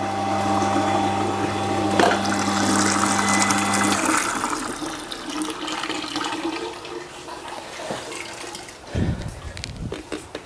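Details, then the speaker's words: Shimizu electric water pump fitted with a suction-pipe strainer and a thermal protector: an even, steady motor hum with no grinding or rattle, then water flow; the pump runs smoothly and normally. "Kawan-kawan bisa dengar sendiri ya, pompa ini suaranya juga cukup halus"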